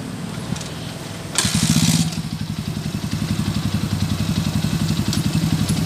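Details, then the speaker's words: Honda TMX155 single after overhaul with new first gear, main shaft and connecting rod: starts and settles into a smooth, regular thump at idle; the earlier rough, loud knocking is gone. "oh yan smooth wala na yung maingay na magaspang at malagitik mga ka- bro"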